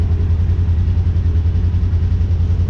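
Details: Polaris General XP 1000 after thermostat replacement for overheating, warm idle with the cooling fan on, temp falling from 194°F to 187; steady low throbbing idle with even fan whoosh, smooth, so the thermostat and fan are working.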